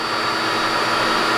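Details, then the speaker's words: New QuickLift air compressor replacing a deafening old shop compressor, first run: smooth constant whir, steady tone, no rattles or pulsing; running quietly and healthy. "Okay, the air compressor is turning on. Air compressor is running. I can hear it. But I can hear myself think."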